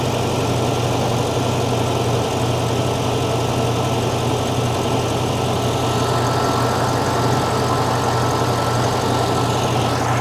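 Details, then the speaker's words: 1975 fuel-injected VW Beetle flat-four after intake boot replacement, cold start at a slightly raised idle: a smooth, even burble with no hunting or stumbles. It sounds strong and the valves sound good. "Well, you saw me work on this thing. Um, but it sounds strong. Valve sound good."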